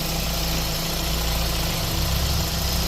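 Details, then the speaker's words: 2013 Renault Fluence after a new belt tensioner and belt, idling in drive with the AC on to load the engine: an even, smooth idle with no chirp or rattle; the noise is gone. Normal idle. "lá tensor novo trabalhando direitinho Correia nove tá aí o barulho som do carro Zerou"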